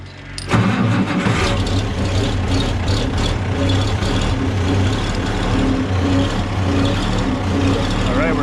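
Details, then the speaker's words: 1969 Oliver 1650 backhoe diesel after replacing torn-diaphragm fuel pump with an electric pump: cranks briefly, fires at once and settles into a steady, even low idle with no misses or knocks; normal, easy start. "all right so now you can see how easy this wants to start"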